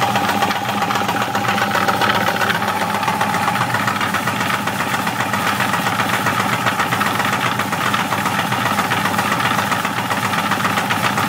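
Steady idle with a hard, fairly even knock about two or three times a second riding over it; a bottom-end knock, source not pinned down. Cause suspected, not confirmed.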